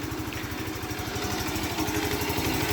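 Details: Alpha Motoland Scout 110 moped single-cylinder after replacing the oil pump, piston set and cylinder head. The knock came from the oil pump not feeding oil to the head and persisted after valve adjustment. Now a steady, even idle putter with no knocking: normal idle.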